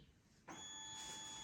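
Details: 2023 KTM 125/250/300 SX two-stroke power valve reset on the green map, wake-up connector plugged in, after holding half throttle for 10 seconds: a thin, steady electric buzz starts suddenly and holds evenly as the valve motor sweeps; normal calibration.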